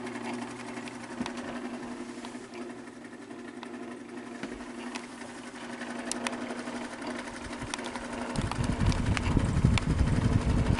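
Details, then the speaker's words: Fan motor with excessive axial play at the back of the fan hub, apparently taken apart before: hum with a light rhythmic scratch, about four a second, rougher and louder as the fan speeds up; motor suspected pushing and rubbing on its casing near the bearing, not yet opened. "what's happening there when you hear that scratching noise when the fan gets up to speed a bit, motor's actually pushing on the back of the case, the motor casing."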